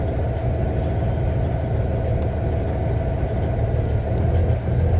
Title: Rough idle Cummins ISX 2006 CM870